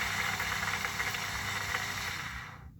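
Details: Water pump after disassembly, cleaning rust and reassembly, which previously wouldn't pump water: steady even hum with soft hiss, no knocking or grinding, quieter than before; normal healthy pump run.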